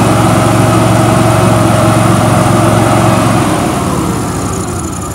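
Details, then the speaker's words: Billy Goat quiet blower with Vanguard engine, sat for years, run on starting fluid sprayed into the carburettor with fuel cap missing: steady, even single-cylinder drone with clean firing beat fading as it dies; engine sounds healthy. "motor sounds great sounds good"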